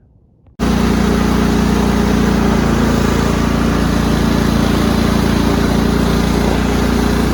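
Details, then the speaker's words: Cub Cadet rider's 16 hp horizontal-shaft Kohler with hydraulic lifters, after a fresh oil change and new filter: steady, even single-cylinder drone at constant speed, no knocks or misses. Running smoothly and healthy. "seems to be running great working great um i'm pretty happy with this"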